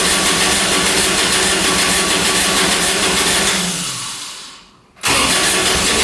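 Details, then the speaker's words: Kubota RTV900 diesel UTV (2007 or 2009), after a head gasket repair for white smoke, 12 volts present: a long, even cranking churn fades without catching, then resumes. Owner suspects no fuel delivery, unconfirmed. Crank, no start. "Doesn't want to go. We're getting fuel to it. All right, let's keep trying. Not wanting to go."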